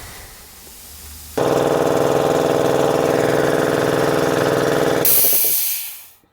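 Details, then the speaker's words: Garage air compressor being charged through new hard line: even chugging, then a sharp loud hiss fading within a second as an old air hose bursts under pressure. "here's the hose sounds like I popped one oh something so that piece of Hose is failed this is air hose this piece of Hose failed"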